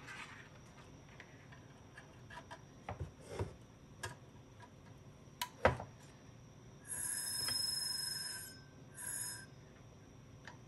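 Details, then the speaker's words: Old IBM XT 5160 10MB hard drive, unused about 25 years, on a 12 V bench supply drawing about 1.5 A; sharp irregular relay clicks and brief buzzing bursts but no spin-up — drive fails to start. "You hear the relay in there clicking. Just does not want to start."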